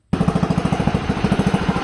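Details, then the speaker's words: 1960s/70s Sears 10/6 lawn tractor single-cylinder, running after more fuel: fast, even thumping about fourteen sharp bangs a second, far too loud and raw; failed muffler needing replacement. "Uh, needs a new muffler. It's really loud. Check out how loud this is. That's ridiculous."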